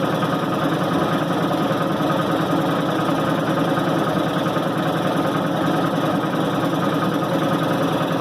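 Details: 1990 Maytag LA211 washer on spin cycle: continuous low groan with slight whine, fairly steady; belts, brake and brake-spin bearing already replaced, drive source still unknown.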